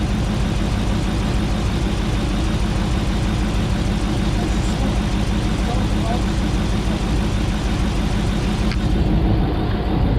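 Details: 2009 Dodge Ram 1500 Hemi, first start after engine rebuild with ECU long unplugged: loud lumpy idle with stumble about once a second, engine shaking; owner hopes it will smooth out as the computer relearns; smoke from oily cylinders.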